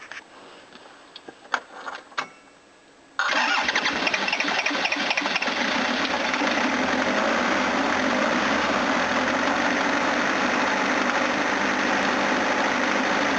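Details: 1980s Toyota Hiace diesel van, new battery fitted. A few seconds of quiet clicking, then it catches and settles into a steady, even diesel idle. Running healthy.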